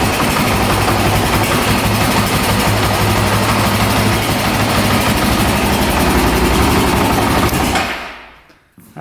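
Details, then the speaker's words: 2008 Honda TRX700XX 700cc quad starts right up and revs out with a loud, crisp, regular beat of about three pulses a second, then shuts off; running perfect, no issues. "sounds like it's running perfect. No issues there. Starts right up, revs out."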